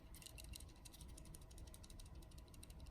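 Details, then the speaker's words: Steel Will Tasso F12-01 folding knife being shaken: quick loose metallic rattles in bursts from the lock, still present after extended pocket carry; lock play. "can hear it there's rattles that lock rattles and that bothers me I really thought after having it for a while and carrying it a bit you know enough pocket went we get in there that it would stop rattling but it rattles and that's that's annoying"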